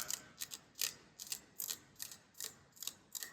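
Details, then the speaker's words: Rover P6 3500S V8 rocker shaft: sharp scratchy clicks as a finger drags across deep worn ridges; rocker shafts worn out and scrapped. "I don't know if you could hear that that's my finger now scratching across the ridges in the shaft so rockers shafts a junk so I they need to go in the bin"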